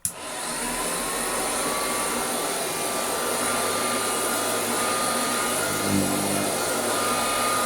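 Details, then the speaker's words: Restored Hoover Junior 119 upright vacuum cleaner with new brush roll bearings and a new belt, otherwise original factory parts: steady, even motor roar with a high whistle and no knocks or belt slap, running normally. "So all this has had is new brush rod bearings and a new belt. Everything else is as it left the factory whenever that was."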